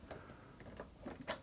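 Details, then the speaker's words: Child's toy Vulcan Senior chainstitch sewing machine with substituted tension parts and new standard universal needle: light, sharp ticks about three a second as the needle flexes against the looper and springs back straight leaving the fabric. "that's just because the needle is flexing on the Looper there is the Looper"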